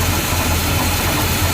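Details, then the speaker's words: 1982 GMC Jimmy 4WD, 350 V8 with a fairly big cam: turning the carb idle mixture screw clockwise leans it out and the steady low idle sags and settles lower; too far runs too lean, then back out half to one turn. "not now if you go too far you're gonna run too lean you want to turn it all the way down until it starts acting up drop down"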